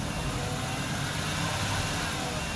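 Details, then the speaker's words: Workhorse chassis 8.1 Vortec, radiator blocked off, engine at about 137°F during warm-up: a steady low engine hum with no fan roar; the fan clutch is freewheeling while cold, which is normal. "so at 137 degrees it's like the fans barely turning which i guess would be normal it doesn't have that it does not have that roar to it at all"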